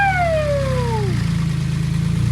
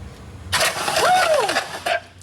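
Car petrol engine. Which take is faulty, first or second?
second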